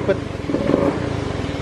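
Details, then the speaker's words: Honda Beat FI scooter at idle after topping up oil: lumpy, uneven, wavering idle pulses, still stumbling; misfire, suspected faulty sensor. "masih berebut berarti kemungkinan memang sensor otaknya sudah rusak"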